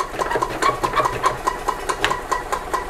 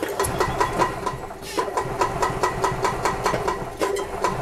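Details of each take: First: 1999 Club Car DS gas golf cart, key in service mode, choke held, cranking: quick even starter chugging about five beats a second with no firing; crank no-start, dirt in carburetor assumed, fuel filters and carb clean planned. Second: 1999 Club Car DS gas golf cart after carburetor cleaning for a crank-no-start, airbox hose reinstalled: single-cylinder engine chugging at fast even beat, crisp firing, running cleanly without choke; governor cranked to max, engine revving high.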